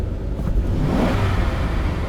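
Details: Mechanical returnless fuel system after new fuel pump install, snap throttle test with pressure dipping only from 55 to about 50–52 psi: deep rumble swells quickly without stumble or hesitation; fuel delivery keeping up, normal.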